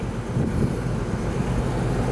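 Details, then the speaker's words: 1998 Ford Ranger XLT 4x4, 3.0 V6, 5-speed manual, 162,587 miles: steady low idle rumble, no knocks, ticks or misses, some outside noise; idles normally and sounds pretty good. "Yeah. I think it sounds pretty good. I don't know if you can hear it from inside."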